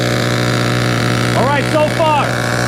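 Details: Vintage Duratrax RTX-27 nitro truck, first fire after full service, on a different fuel blend, idle not yet tuned: steady high buzzing drone holding an even speed, the small nitro engine running properly.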